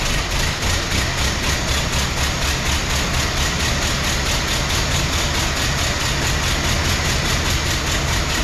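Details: 1914 Ford Model T, hard to start at a car show, suspected running on three cylinders. Old four-cylinder runs with a lumpy, uneven beat, one firing pulse missing each cycle; ignition and compression being investigated.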